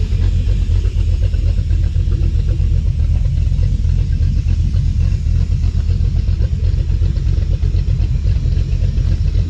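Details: Dodge Dakota R/T 5.9L Magnum V8 with heads and cam, idling outside before its tune. A control valve hisses loudly; owner suspects injectors clogged from sitting. Deep even rumble with mild cam lope, no knocks or ticks; normal V8 idle.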